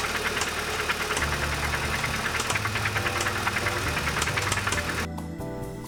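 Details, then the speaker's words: Audi A3 hatchback, about 197,758 km, non-starter sitting about two months, rough idle with loose irregular metallic clatter like nuts and bolts; engine knocking at idle, owner suspects blown engine, oil pump or turbo. "call girl sounds like she's running on nuts and bolts this is going to be an adventure did you hear that she doesn't sound happy I have a feeling that it might be a blown engine"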